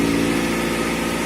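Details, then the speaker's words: 1990 Honda CRX with 230,000 km, idling in neutral: rough, very loud idle with a raspy puffing over the engine, from an exhaust leak somewhere that is not yet located. "It's in neutral, and you can hear that exhaust leak. The car is very loud."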